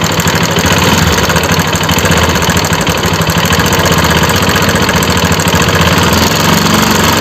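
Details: Bajaj RS200 single-cylinder motorcycle at idle: fast rough ticking knock over the engine note; abnormal engine noise, cause unclear.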